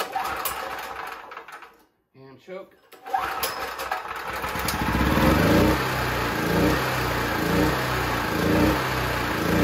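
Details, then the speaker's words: Used Champion C49055 4.5-5.5kW generator, Honda GX270-clone single-cylinder converted to propane with a tri-fuel carb, warm restart with choke off: catches after a few tries, then speed rises and sags about twice a second; hunting, cause unconfirmed (mixture tuning, valves suspected). "give it a chance to balance out so don't don't adjust a lot too quickly it's going to take a second to settle down it's still hunting a little bit um with a load on it"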